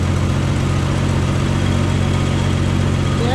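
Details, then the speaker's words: 1967 Plymouth Valiant, just started after a revival, carburetor set that morning, old plugs, cranked first to build oil pressure: steady, low, even idle hum with no rattle or clatter on start-up. The engine sounds healthy. "you notice, gang, there was no noise there when Jake started the engine, and that's because we cranked it to build oil pressure before we started."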